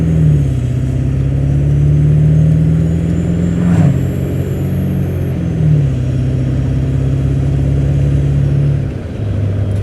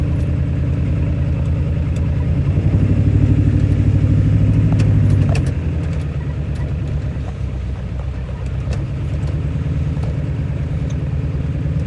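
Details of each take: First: 1997 Ford Powerstroke diesel truck with hard starting, after hard acceleration on the highway: deep, steady drone under road load, even pitch changes, no miss or knock; now running perfect, cause unknown. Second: 1997 Powerstroke diesel with hard starting, after 20–25 minutes of running and a drive: lumpy, uneven beat that swells as it revs and settles still not smooth; rough running, later clears on the highway, cause unknown.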